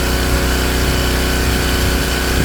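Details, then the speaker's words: King Canada Powerforce 1500W generator, heating load at maximum heat on its low setting, governor responding: small engine holds steady even drone without hunting under heavy electrical load; normal running under load. "And it's doing it, and it's responding this time."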